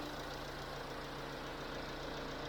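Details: Chevrolet Tracker engine idling steadily, near 88° operating temperature, with a light, fast tapping in the hum, from a damaged rocker arm tip.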